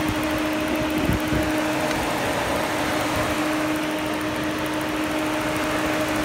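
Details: Overheating Peugeot 308 with no fan control from the ECM: with the coolant temperature sensor disconnected, the radiator fan runs at full speed with a steady, even roar and hum, confirming a fan control fault.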